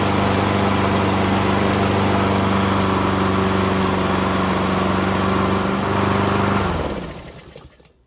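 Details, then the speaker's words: Subaru EA175V 21-inch self-propelled push mower, after carburetor issues, on the bench on fresh fuel with a new fuel filter, before its oil change: runs smooth and even at a steady fast beat, no misses or knocks, then winds down cleanly at shutoff. "Like a Subaru Swiss watch. Excellent."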